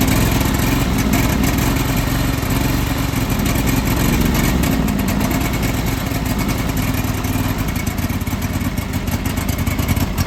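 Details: John Deere 425 garden tractor, sat for years, new starter, restarted: uneven, lumpy beat about three pulses a second that stumbles and surges, sputtering and smoking, smells of oil; cause not confirmed.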